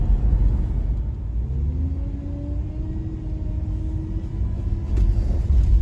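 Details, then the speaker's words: Jeep Cherokee with power steering pump whining, a wavering tone over engine rumble; fluid level too low from a neglected leak, not checked recently. "Dzień dobry państwu dzisiaj Gdy jechałem sobie Gibsonem rano w pewnym momencie usłyszałem wycie pompy wspomagania mój błąd Nie sprawdziłem poziomu płynu"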